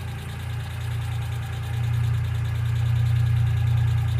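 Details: 1995 Geo Metro at steady low idle: light, quick ticking, a few per second, typical of a noisy hydraulic lifter. B-12 fuel injection cleaner is added to the engine oil before an oil change.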